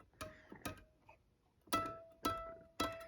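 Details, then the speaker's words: Guitar after fixing fret buzz on the higher frets, around the 15th to 17th, where a too-high fret made notes fret out and die: plucked high-fret notes now ring clear and sustained with no buzz. "you can see now it sounds like it's supposed to."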